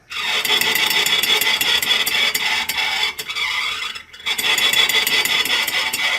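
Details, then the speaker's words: 1995 VW Pointer rear wheel spun by hand: harsh, gritty scraping pulsing each turn; brake shoes came loose and broke, dragging inside the drum. "acontece o seguinte as sapatas de freio saíram e estragaram"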